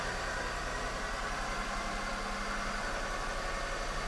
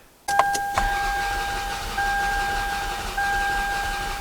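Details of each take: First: 2002 Toyota Solara with about 300K miles, which overheated and died at a stoplight, after repair and with the fuse box back in place: steady, even idle with a smooth low hum and no knocks or misses. It starts and runs perfect; normal idle. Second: 2002 Toyota Solara, 300K miles, overheated and died at a stoplight: starter cranks with a steady whine and lopsided beat, one stroke per cycle missing; dead cylinder deliberately created on cylinder four as index for relative compression test.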